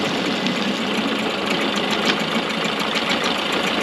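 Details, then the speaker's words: Early-90s 8 hp Mercury two-stroke outboard after carb rebuild, idling in gear, mixture screw about 1¼–1½ turns out: steady, even buzzing with crisp high rattle, no stumbling or stalling; normal in-gear idle. "it sounds really good right here and it's in gear right now it hasn't sawed or anything so let it run for about 15 minutes"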